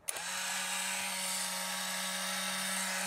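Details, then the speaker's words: Untested eBay Polaroid SX-70 loaded with an old 600 cartridge: a small motor whirs at one steady pitch and never shuts off; the mirror seems not seated and not moving, a failed drive coupling suspected. "you can hear, it just keeps going. The mirror, I feel, is there, and it's not seated properly."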